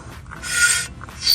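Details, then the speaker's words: Toyota Supra GR with the wheel removed and the rotor spun: high raspy scraping and squeaking bursts from a pebble of gravel trapped between the brake rotor and the dust shield. Removing it cured the noise. "it ended up being a piece of gravel from all this gravel here all right so look it's gone and we're back to normal"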